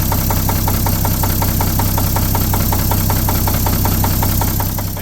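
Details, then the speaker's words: 1950 Chevy 3800 one-ton truck, abandoned since 1977, worn babbitt-bearing Chevy 235 six: heavy regular rod knock over idle, about 160 a minute; cylinders soaked in ATF first, and Lucas oil stabilizer at the full 60% did not remove the knock. "so naturally we used the full 60% and uh it did not remove our knock"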